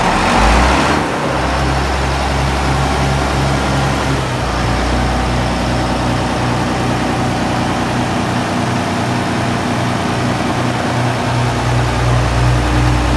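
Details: John Deere 7520 on its first start after 10 to 13 years in storage, using a car battery and an added electric fuel pump. It catches on the first crank and settles into a steady, even diesel idle with no misses or knocks.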